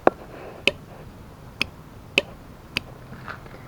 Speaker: i get this wired up so i turn the switch on overhead light comes on and unfortunately i wired it so the the relay goes i don't know if you can hear that